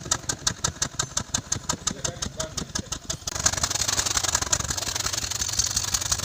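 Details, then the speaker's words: Toyota NZE petrol engine, code P0300, idling: uneven idle with a regular stumble and shaking; misfire traced to a failing ignition coil by unplugging coils one at a time, then fixed by replacing the coil. "This vehicle has a problem with misfire, so today I'm going to show you how to solve that misfire."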